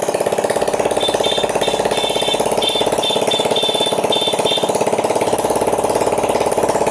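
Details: Yamaha Mio J fuel-injected scooter with no spark though fuel pump hummed: with a substitute pulser fitted in place of the faulty one, the small single settles into an even idle around three and a half firings a second with a faint chirp, running healthy.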